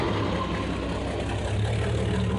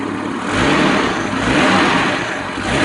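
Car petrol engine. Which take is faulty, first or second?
first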